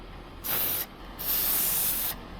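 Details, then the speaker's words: 2007 Suzuki GSX-R750 wheel: sharp bursts of high hiss each time the valve stem is slightly tugged, quiet between; tyre valve stem air leak, fixed with a new valve stem. "If you look down here by the wheel and we check out the valve stem, it looks good and it holds air, but just the slightest little tug on it and you guys can hear that air is coming"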